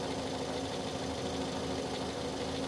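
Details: 2006 Toyota Yaris S automatic, used-car inspection, battery cranking at 10.65 V and charging normal: smooth, even idle with a steady low hum, no knocks, ticks or odd noises; normal idle.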